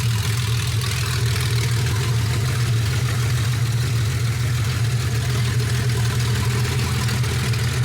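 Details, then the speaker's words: Porsche 964 first start after project build, true dual exhaust with no muffler: loud, even unmuffled idle with a steady deep thrum, no misses or knocks, no leaks; healthy. "having a true dual exhaust and not having a muff on it right now it's hard to hear if it's got a ledol at idle um but it definitely has got something a little spicy about it"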